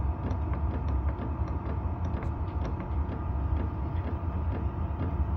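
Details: Tunable diesel heater, low end retuned two points higher with the fan rising automatically, 4 Hz max: even fan hum and low burner rumble with light pump ticks about four a second; normal running.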